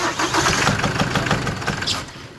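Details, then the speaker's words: Chevrolet S10 that arrived on a tow truck with a strange engine noise: engine catches and idles with a dull rapid knocking; source inside the engine not yet pinned down, suspected engine fault, leak also seen. "olha o barulhento chegou no motor do f10 já chegou no guincho cliente ligou colocar meu carro há um barulho estranho motor"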